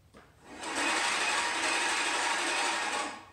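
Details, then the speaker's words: Scotts Classic push reel mower: steady, even hissing whir with no knocks or pulses, from the reel contacting the bed knife on every turn; adjusting it off contact spoils the cut. "the Scott's classic yes it's quiet it's not gonna bother anyone but listen listen you hear that that is that real in that bed knife"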